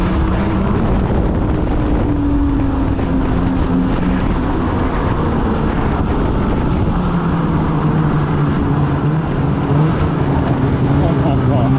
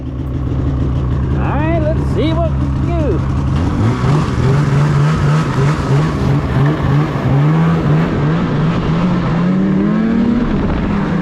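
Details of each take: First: 2016 Polaris Indy 600 SP snowmobile after fuel filter fix and new Ultimax belt, grass-dragging at full throttle: steady strong drone holds pitch under load with wind, pulling hard and hitting target RPM; running good. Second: 2016 Polaris Indy 600 SP two-stroke snowmobile, test ride after fresh spark plugs, before fuel filter fix: climbs slowly and flattens at half throttle, only about 6200-6400 rpm; bogging, later traced to a plugged fuel filter.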